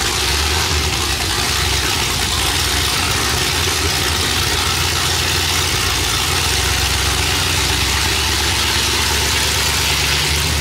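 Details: Chevrolet Silverado cammed 5.3 V8 on new long tube headers, exhaust unfinished: loud, raspy open-exhaust idle with choppy uneven lope from the big cam, holding steady without dying; normal healthy cammed idle.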